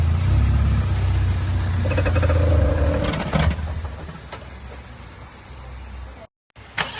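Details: 65-plate Vauxhall Astra J VXR pulling away with steering slightly turned; deep engine rumble with a fast creaking knock about four a second from the front, absent with wheel straight; new outer CV joints didn't help, gearbox oil change resolved it.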